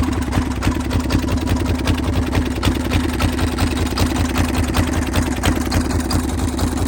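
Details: Military M1030M1 diesel Kawasaki KLR motorcycle, started after glow plug indicator: steady low single-cylinder diesel chug at idle, even knocking rhythm about a hundred per minute, no odd noises; healthy.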